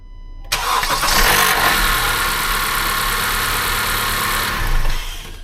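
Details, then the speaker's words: 2016 Honda CR-V, 2.4 Earth Dreams engine, start-up not fully cold: harsh metallic rattle as it catches, then steady idle; failing timing chain tensioner per TSB 19-019, fixed with Honda's updated tensioner. "Alright, so you heard that loud rattle when I started the car. The engine is not even that cold, so this one's pretty bad."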